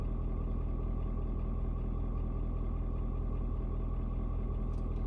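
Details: Ford Super Duty 6.7 diesel (Platinum), 56-degree cold start: even, steady clatter settled at a low idle, no knocks or misses, after a slight rpm drop (owner unsure if block heater); normal idle.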